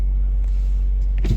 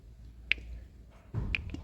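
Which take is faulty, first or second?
second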